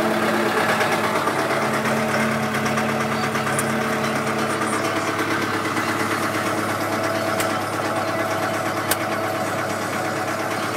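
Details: Kubota M100X tractor diesel at idle during a pre-trip check before a blizzard, Dec 30 2012: steady, smooth low rumble with no knocks or misses. The engine sounds good, healthy and warmed up.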